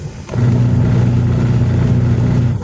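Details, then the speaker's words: Washing machine that would not run, wash motor wired straight to AC power to test it: steady low hum for about two seconds, then cut off; motor is sound, the timer is the faulty part and will be replaced. "Buo pa siya. So maandar siya. So dito naman sa kabila yung kanyang rotate, dito naman sa kabila."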